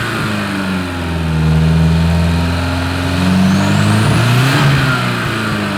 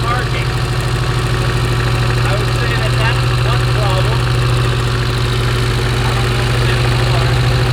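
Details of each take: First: Porsche 924 Turbo, sat for years, bad fuel suspected: deep steady engine note swelling cleanly with throttle, slight pop; now running pretty well. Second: Porsche 924 Turbo, long-time poor runner: uneven lumpy idle with stumbling low drumming beat; spark plug wire insulation gone and arcing to ground, causing misfire.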